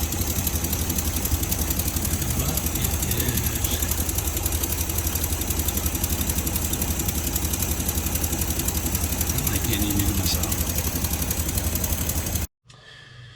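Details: Jeepster with a Buick 225 Dauntless, vacuum line disconnected for a timing check. Uneven, lumpy idle loping about four times a second. Rough idle traced to points set at 0.020 in instead of 0.016; also a coolant leak in cylinder 6 and wiped cam lobes.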